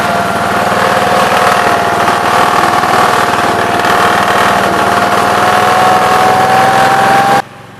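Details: 1969 Gravely 432 single-cylinder engine, next morning at about 15 degrees, first drive after carb float level fix; steady even drone at constant speed, no stumbles, then shuts off cleanly. Normal running.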